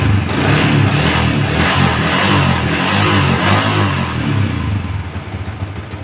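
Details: Yamaha Vixion with flickering indicator light, battery replaced: engine revved and held then eased back with even smooth beat and no rattles; charging checked at about 14 V, normal; normal revving.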